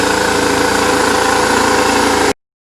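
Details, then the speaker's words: 2002 BMW R1150RT boxer twin, recommissioned after a quick battery charge. Fired after a couple of cranks and idles steady and even, with no knocks or misses, for a couple of minutes before shutting off. "couple cranks on the starter she fired right up good so idle for a couple minutes"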